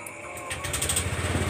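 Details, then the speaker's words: Honda New Vario 125 LED scooter that had heavy pickup, after light service, oil change and oil-change indicator reset: starter whirs, then the engine catches into a quick, even putter with no knocks or rattles; normal start and idle, pickup light afterwards. "Oke, langsung kita hidupkan mesinnya seperti biasanya ya, tombol starter."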